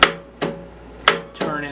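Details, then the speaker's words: Murray riding mower on choke, in neutral, after a trade: starter tries to engage with four sharp metallic clunks and no cranking, flywheel won't turn by hand; engine appears seized. "well it appears that the motor may be locked usually you should be able to spin that and this you cannot"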